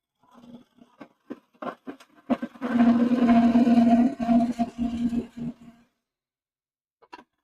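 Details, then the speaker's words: Wood lathe turning a maple spoon blank with carbon steel tools: uneven rapid tool chatter over a humming buzz, with the tool bouncing because the blank is still out of round in this section; the tool rest is suspected set too high. ">> Can you hear that chatter? That means it's still not round. So over here, it's a lot more round. In here, not so much at all."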